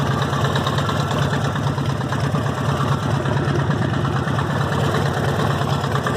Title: Harley Davidson Evo rod knock or lifters?